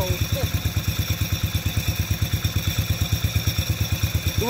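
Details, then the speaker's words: Lawn mower single-cylinder on a cold start: quick, even thumping at idle with a light rubbing drag underneath, because the drive chain fell off and the clutch is dragging. "You wonder what that noise is. The chain fell off, so it's just sitting there dragging on the clutch."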